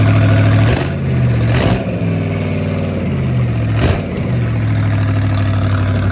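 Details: Rat rod small-block Chevy 350 V8 freshly fitted with a turbo cam, replacing the stock one: deep, steady burble with a quick, even firing beat, no knocks or ticks; normal running.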